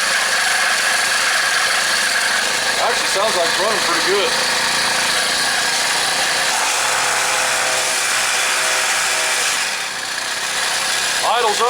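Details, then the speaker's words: Craftsman 4-cycle mini cultivator with a replacement carburettor; steady, even raised idle because the throttle was left in the lock position; faint squeak, possibly from a clip; otherwise healthy. "the throttle cables hanging up is actually holding it up off of idle a little bit got a little bit of a squeak i'm not sure what that is probably down in the clip i would say"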